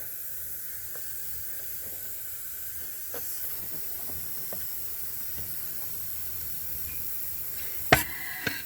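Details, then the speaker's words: Swap-meet propane converter of unknown quality for a 1999 Lincoln 4.6 V8 conversion, pressure-tested by opening the tank, engine off; faint steady high hiss under quiet background. Propane leaking from the converter. "That's turning on the tank now. Huh. Didn't even hear it hiss. Well, I hear something leaking."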